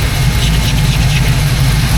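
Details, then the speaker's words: 1979 Pontiac Firebird Formula V8 with a big cam at running temperature, about 800 rpm idle: deep steady rumble with a faint puffing hiss from an exhaust leak on one side, probably mid-pipe; electric fan audible. "Start running temp about 8 800 RPM. Got an exhaust leak on this side for sure."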